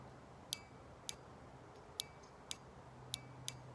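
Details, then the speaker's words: Fox-body fuel injector bench-tested on a battery adapter before cleaning: six sharp, crisp clicks about half a second apart in a quiet room, showing the injector engaging; the click means the injector is good. "So one of the ways that you can tell right off the bat if the injector is even good, and I don't know if you'll be able to hear this, you plug this in and you'll hear a click, and that's it engaging."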